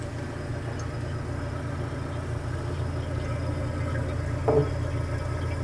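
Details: Antique GE Monitor Top DR-1 refrigerator after repair, charged with 4 cans refrigerant, high side about 104-105 psi, float warm; steady low hum with faint soft hiss of refrigerant boiling in evaporator, getting ice cold; compressor running smoothly.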